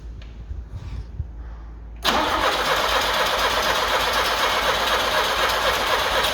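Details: Carbureted Lada 2104 with fuel fed from a funnel on the carburetor line: a steady, even cranking rhythm for about four seconds with no firing taking hold. Owner suspects not enough fuel from a bad fuel pump, though it is unconfirmed.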